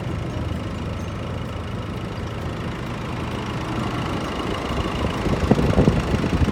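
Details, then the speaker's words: Nissan Navara D40 diesel after complete engine overhaul with new genuine cylinder head, piston rings and bearings: low, steady idle with usual light clatter, no heavy knock or misfire, handling noise near end; runs smooth like new. "just look at and just hear the sounds of the engine it's similar a brand new one"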